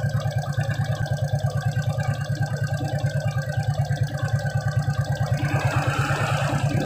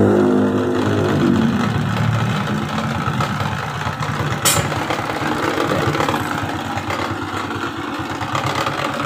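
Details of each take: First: Suzuki Shogun 125 at a steady idle with a regular single-cylinder thump, speed rising slightly near the end. It had weak charging, a rough engine sound with the battery removed and frequent battery replacement. The CDI supply went from 2 V to 5 V after a kiprok (regulator) change, and it now runs evenly. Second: Suzuki Shogun 125 with battery removed, weak charging: irregular stumbling single-cylinder idle; rough running because weak regulator/rectifier (kiprok) supplies too little voltage to the CDI; smooth with battery fitted.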